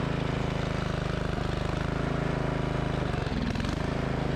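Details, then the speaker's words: Yard Machines by MTD model 638 RL riding mower that starts then dies, restarted after sitting about four hours. The single thumps with a slow rise and fall in speed just after starting; surging, owner suspects a dirty air filter. "जब यह पहली बार शुरू हुआ और यह इस तरह बढ़ने लगा तो मैंने सोचा फिर से शंख बजाने जा रहा था कि यह शुरुआत में क्या कर रहा था शायद गंदा एयर फिल्टर मुझे नहीं पता"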